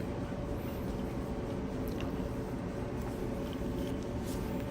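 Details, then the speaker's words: Kenmore Elite dryer, model 79691073310, reassembled after repairing rough running noises: soft, even drum hum with no thumping, scraping or squeal; quiet and healthy after the repair. "Okay, yeah, nice and quiet. Nice and quiet. That's the way we like the machine to be."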